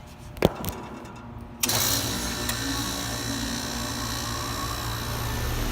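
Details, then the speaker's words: Two Bryant units starting up in heat mode, one on a 3-minute delay, switched via disconnect box: click, then compressor and fan rise to a steady even hum with no knocks or rattles; coil starting to ice over; normal startup. "Oh, and just to prove it's on heat mode, this is already giving cold air out. You can hear it. Actually sounds pretty cool, I like that."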